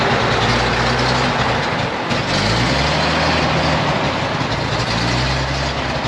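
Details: 1956 GMC 630 fire truck, 503 straight-six with carburetor, rescued off a farm, idling after revival: steady, even low rumble, no knocks or misses, slight drift in speed; idle soon races for unknown reason.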